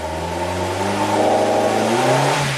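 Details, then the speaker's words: 2008 Suzuki SX4 with low power, revved at full throttle: revs rise unevenly, stall and waver through a low-rpm band with a misfire at the wall, then pull on. It bogs under half throttle; cause unconfirmed. "You have to full throttle it to get it through that wall. But it does go through it. We'll miss fire right at the wall."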